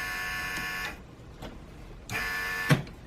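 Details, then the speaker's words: 2008 Saab 9-3 Turbo X V6 with a months-long vacuum leak, key on and engine off: the vacuum pump buzzes with a steady high whine, then cuts out when the vacuum sensor is unplugged, so the sensor is not the cause. "So we're going to put the key back in the on position, and when I unplug this, it should pretty much stop buzzing and the pump should stop running because there's no way to sense it."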